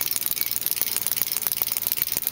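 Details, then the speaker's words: 1968 Charger with MS3X Megasquirt, engine not running, injector test mode at 15 ms pulse width, 1000 injections, simulating 2398 rpm: fast, crisp, evenly spaced ticking of about twenty clicks a second; injectors clicking normally. "I think this is a great Tool uh if you wanted to try to find a bad injector"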